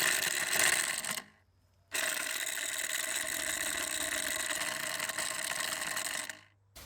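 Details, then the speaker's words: Intex pool pump after repairing a broken motor balancing rod, run dry with no water: harsh gritty grind between two brief cutoffs; sounds rough, owner suspects lack of water is the cause, no seizing unlike the earlier jamming. "right now that still sounds terrible but I think that's because there's no water in there"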